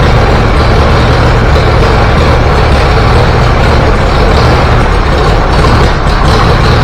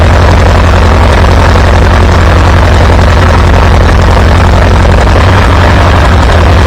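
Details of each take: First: Antique Farmall B tractor, warm, first trip outside: low chugging run with stumbles and dropouts as spark fades; weak ignition coil. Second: Antique Farmall B tractor after replacing weak ignition coil: deep even chugging about three to four beats a second, no misses or stumbles; good oil pressure, running smooth and healthy.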